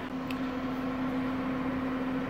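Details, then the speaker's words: RV furnace heating a cold cargo trailer in snowy weather, still warming the cold metal inside: steady low hum, constant mid-pitched drone and even airflow hiss, no rattles or surging. Normal running. "I think it's doing pretty well once it reaches temperature I'm not sure how often it'll come on"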